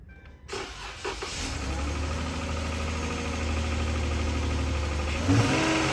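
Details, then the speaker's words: 3.6 Pentastar V6 (Dodge/Chrysler/Jeep RWD) starting and settling into rough idle with fast, loud ticking; severe failing lifter. "but let me show you what some real bad lifter sounds like this is another one"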